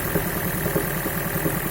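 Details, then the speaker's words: Toyota Prius 11-series engine with a deep, dull knock under idle that persists with all ignition coils disconnected; cause found as worn main bearing shells spun on two crankshaft journals. "С полностью отключенными катушками стучит. То есть, я так понимаю, не работают ни форсунки, ни свечи. И все равно стучит."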